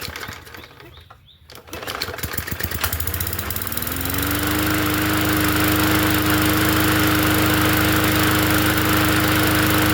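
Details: Free 20-inch Bolens push mower, fresh oil added, quick-fix start: pulls over, catches, and settles into a steady, even drone with constant pitch; running cleanly.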